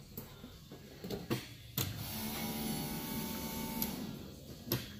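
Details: 1972 Ford F100 with LS swap, fuel test, hot-wired: faint steady electric whir for a couple of seconds between clicks; pump heard running, but fuel not yet reaching the line. Cause unconfirmed.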